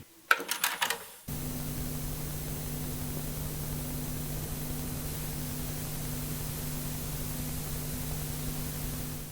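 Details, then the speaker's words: Cassette deck playing leader then magnetic tape: a few clicks, then soft even hiss with faint motor hum once tape reaches heads; tape hiss is small and acceptable, though deck's own noise is not. "the his noise from the tape is very very acceptable, but the noise of the deck it's not."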